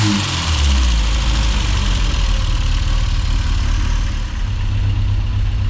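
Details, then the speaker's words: 1990s Mini Cooper S Sport 5 built by John Cooper Garages, nearly 30 years old, long-standing rough idle when hot; fuel pressure steady at 3 bar: deep idle with a slightly uneven, lumpy beat, worsening over time. Rough idle, cause not yet found. "Might just leave it on there for a bit, a few minutes, just to let it run, because it's actually idling quite alright now, but it does tend to get a little bit lumpier after a while."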